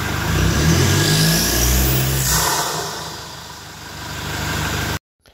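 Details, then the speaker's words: Toyota Innova Reborn diesel with an open air filter fitted about 600–700 km: revved at standstill, a high turbo whistle climbs with the revs and fades as they drop; normal turbo spool. "Oke tadi setelah kita dengarkan Bagaimana suara siung-siungnya ya suara turbonya suara dengingan turbonya kita sudah dengarkan tadi saat mobil kita berhenti Kita injak gas itu suara S seperti itu ya"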